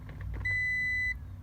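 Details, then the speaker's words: 2000 Toyota Sienna horn not working: single steady high beep from a continuity tester only while the steering wheel is pushed, showing the worn steering shaft bearing loses ground contact; fixed by adding a ground wire to the shaft. "so now I'm trying to a little bit push the steering wheel and we'll hear the beep that means we'll have the account nudity between the steering wheel shaft and ground"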